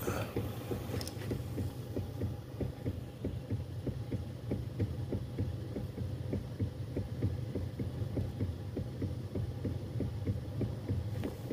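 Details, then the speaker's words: 2014 Toyota Harrier (tilt/telescopic steering motor): sharp light tek-tek ticks over a low hum from the upper steering column when driving over rough roads; worn steering damper suspected, damper replaced first. "jelas ya tek tek jadi bunyi itu yang muncul kalau mobil lewat jalan jelek bunyinya nyaring ini senyaring rengginang"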